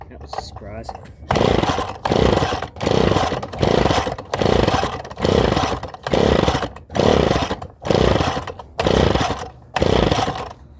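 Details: Engine just rebuilt: about eleven pull-cord cranks, turning over but never catching; not getting fuel, with fuel leaking through the carburetor and the owner suspecting a stuck-open float.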